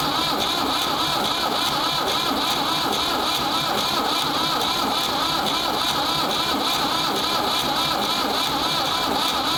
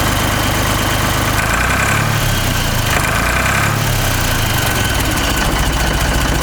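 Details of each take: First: Ford 3600 diesel tractor with rebuilt CAV injection pump, bleeding injectors: long steady cranking whirr with no catches at all, long cranking on a warm corroded negative battery cable; no-start from seized injection pump plungers. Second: Ford 3600 tractor diesel after a second rebuild of the CAV injector pump; alternator belt is loose: a steady, regular clatter at even idle with no misses; normal diesel idle.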